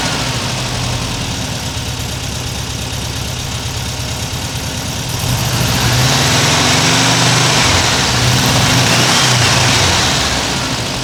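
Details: 1979 US-spec fuel-injected VW Super Beetle air-cooled engine with a new Vintage Speed stainless exhaust replacing the rusted, leaking factory original; mic clipped to the rear bumper by the muffler. Steady even idle, then smooth pitch rises when revved; normal idle and revving.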